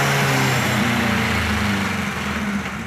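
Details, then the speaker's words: Kawasaki KZ1000 Police motorcycle: idle hangs high after start and blips, with a raised drone that drifts down slowly; the owner is unsure why, and says it wanders like a large vacuum leak and also misfires. "when you first start it up it ramps up I'm not really sure why"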